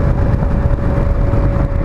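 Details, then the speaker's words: Cold 1983 Yamaha XVZ12TK Venture, a carbureted 1200cc V4 touring bike, being ridden with the choke still on: a steady mid-pitched howl rides over the engine and wind rumble, then stops. The owner suspects the speedometer drive howling when cold. "hear that thing howling watch then it stops"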